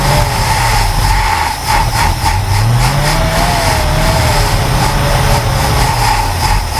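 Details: Ford Falcon Ranchero ("FalconStein") being revived: lumpy, uneven idle with revs sagging and recovering as if about to stall; owner suspects a stuck carburetor float, carb previously spewed fuel/fire; new fuel pump working fine; carb kit rebuild planned.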